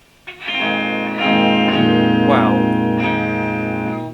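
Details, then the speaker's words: Engl Powerball amplifier after repairing a no-output fault, tested with guitar and speaker on two customer-supplied power valves, bias slightly unequal: clean guitar chords ring out clearly with no hum, crackle or dropouts; output working normally. "i'm not worried about that for the moment okay i can hear nice reassuring noises coming out the speaker"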